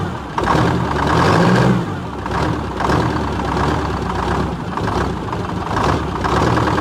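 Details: 1978 Chevy Bruin, 8V71 Detroit two-stroke diesel, cab off, first start after fixing no-start issues, no coolant: deep steady rumble with a couple of gentle throttle swells, no knocks or misses; normal idle.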